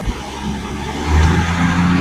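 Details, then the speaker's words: 1965 Ford Mustang V8 (mostly original), not run in over two years, after fuel pump replacement, Seafoam, fixing leaks and adjusting air-fuel mixture: deep burble revs smoothly and holds steady without stumbling or popping; normal revving. "oh man night and day a little seafoam through there fix those couple of leaks adjusting the air fuel"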